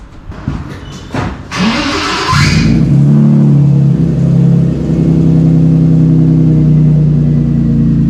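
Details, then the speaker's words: BMW E30 M3 after gearbox swap, first drive: engine revs then steady low drone while driving; noise identified as makeshift spacer on propshaft flex disc. "I know what that noise is that noise is the [ __ ] on the prop it's a stupid little [ __ ] spacer"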